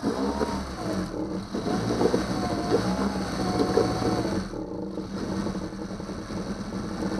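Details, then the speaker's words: 2009 Yamaha 6 hp four-stroke outboard after no-start troubleshooting and an impeller change: steady unbroken beat, no misses, knocks or rattles; cooling water shoots far out the back; sounds healthy. "Started the motor. Water shoots out in the back really far too."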